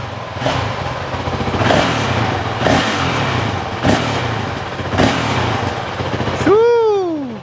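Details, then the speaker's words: 2023 Honda CRF450X after thermostat delete (San Diego Powerhouse kit) and emissions removal, after 5 minutes running: low even idle with a few quick throttle blips rising and settling cleanly; sounds about the same as before, normal idle and rev. "She smells a little different now without that emission stuff. Sounds about the same."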